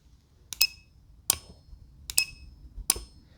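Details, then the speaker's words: Automotive relay powered by a SigmaProbe circuit tester holding the up button: four crisp clicks about every 0.7 seconds alongside the tester's high beeps; relay switching and working normally. "so as soon as i press and hold the up button it has supplied voltage to it and you can hear it click"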